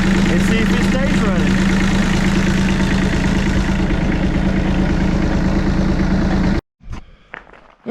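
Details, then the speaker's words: Bomag BMP8500 diesel roller after the throttle solenoid adjustment and fuel filter change: steady diesel chug at about three beats per second, holding an even idle without faltering until shut off; runs really good. "right folks so our little BMP 8500 bow mag well it runs really good"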